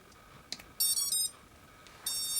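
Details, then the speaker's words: UBAD Inversion DX 250 quadcopter, T-Motor 2206 2000KV motors on UBAD 20A Beast Mini ESCs, on battery on the bench: short high chirps then two longer bright tone bursts as power comes on; normal ESC startup initialization beeps. "the sound of the motors just initializing and the speed controllers and let's give it a test"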